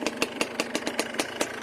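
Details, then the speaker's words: Yamaha Blaster two-stroke ATV, smoking that needs clearing out, with a ruined carrier bearing and worn chain (not engine): even, crisp popping at about five beats a second, no misses or knocks; normal idle. "man i really wish i could ride it because see how much smoking i need to clear it out"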